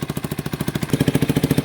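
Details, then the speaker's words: 1989 Yamaha Big Bear 350 ATV single-cylinder, revived after sitting 10+ years, half choke, warming up: steady even putt-putt idle, no knocking; possible exhaust leak, won't take throttle and backfires when given it, but idles beautifully. "but it idles beautifully. So, it's still idling pretty good."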